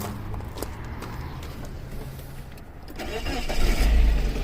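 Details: 2003 Suzuki Aerio SX 2.0 L that earlier would not crank, with flickering and clicking: brief even cranking with an amp clamp on the battery, then it catches and settles into a steady idle with no clicking; normal cranking and start.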